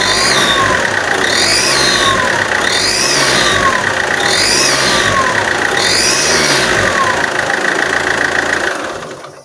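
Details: Alfa Romeo 159 1.9 JTDm diesel: each throttle blip, moving or standing, brings a sharp puffing tick that quickens with revs, gas passing through the gasket layers; exhaust manifold gasket leak from warped turbo-integrated manifold, needing new gasket, studs, nuts and machined manifold.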